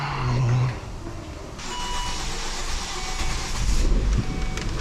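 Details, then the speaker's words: Volvo S60 inline 5-cylinder, first start after piston ring replacement for oil burning: starter cranks briefly, engine catches and settles into a steady, even idle with no knocking or tapping; healthy first start. "There it goes. It runs."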